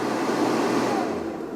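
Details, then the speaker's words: Van inverter powering a 1550 W air fryer from a newly fitted 12V 280Ah LiFePO4 battery: steady inverter fan rush with low hum, no cutting out; normal running under load. "It's noisy because you can hear the fan from the inverter."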